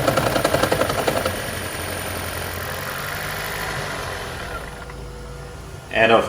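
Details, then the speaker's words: 2013 Lexus CT200h hybrid, check engine light, cold start in the morning: rough, choppy rattle for the first second or so, then smoother and quiet once running as a hybrid; misfiring from worn spark plugs, fixed by a tune-up. "this is the sound that he was making every morning once i started the car"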